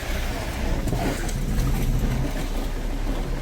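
Deep, rough growl under a slow-rolling car, from a displaced wheel rubbing its tire on the body.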